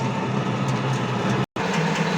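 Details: Pellet mill warming up at the start of pelleting sunflower-seed cake, with a little oil added and the rollers slightly tightened: a loud, steady churning rumble with a light rhythmic clatter. There is no roller-to-die knocking; normal running.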